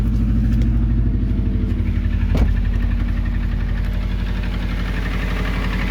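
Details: Subaru EJ20G engine, cold, before removal: steady low idle with a fast, fairly even knock, roughly four a second; cold engine knock, cause unclear.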